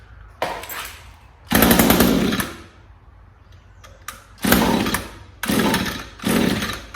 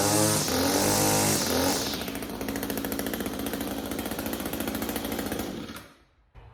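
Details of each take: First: Echo SRM string trimmer with HiPA replacement carburetor kit, off-brand Savior spark plug installed: about six pull-cord rasps with no catch; won't start, while an NGK plug started on the first pull. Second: Echo SRM string trimmer with HiPA replacement carburetor kit, after a no-start fixed by fitting a new NGK spark plug: starts on the first pull, settles into a rapid even two-stroke buzz, then shuts off; running properly.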